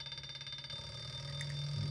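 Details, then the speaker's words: Brushless three-phase washing machine motor, rewired and driven by a simple transistor circuit at 30 V, about 0.45 A: faint pulsing hum settles into a steadier, higher tone as a reconnected coil brings it back to speed; normal run. "And you can see whenever I disconnect one of the coils, it slows [Music] down. It's a little more noisy. You hear it kick into high gear here again."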